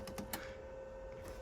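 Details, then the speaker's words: Miele W1613 Novotronic washing machine, about 17–18 years old, with an F63 error: after repair, the water diverter valve motor clicks a few times over a faint steady hum, then goes quiet as it finds its position and stops, with no alarm. "The fact that that fellow there did its clicking and then decided it was happy is positive."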